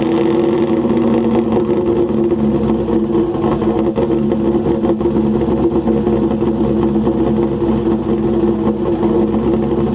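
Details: 2001 Camaro SS V8, cold start with exhaust disconnected after new spark plugs and header gasket; steady idle with uneven, lumpy beat and ragged exhaust pulses; rough running, owner says motor is blown.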